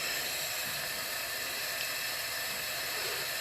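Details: MerCruiser 3.7L (MCM 470) engine losing coolant overnight, leak-down test on a cylinder (likely number three), gauge reading in the green: steady airy hiss of escaping test air with no gurgle. The cylinder holds pressure within spec, so no problem was found.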